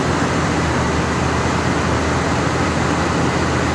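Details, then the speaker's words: 1979 Cadillac DeVille V8 after a carburetor swap, choke opening even without the electric choke; even, steady idle with a soft consistent rush, no misses, knocks or hunting; sounds really good, normal idle. "it sounds good. It sounds really, really good. I mean, it may be good enough."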